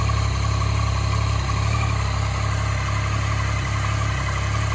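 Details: 2014 Yamaha MT-09 triple noticed on a ride: steady idle with a light, quick clicking at roughly three per second over the hum. Cause not yet pinned down; clicking noise at idle.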